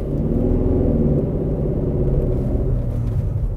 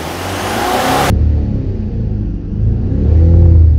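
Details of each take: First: 2009 Mercedes E 220 CDI (W212, 125 kW, 152,000 km) on test drive: loud, heavy low drone/boom under the car, mainly when accelerating, not Mercedes-like. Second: 2009 Mercedes E 220 CDI (W212, 125 kW, 152,000 km), heard in the cabin with doors closed: a low, even diesel rumble swells with a short rev and settles. It is much quieter now, with slight unevenness remaining.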